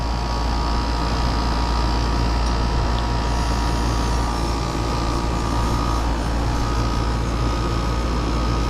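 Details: Mobile home AC that was icing up (blower not coming on, very low on Freon) during refrigerant charging at 60°F outdoors: steady, even fan roar and compressor hum with no rattles, squeals or cycling. Running normally.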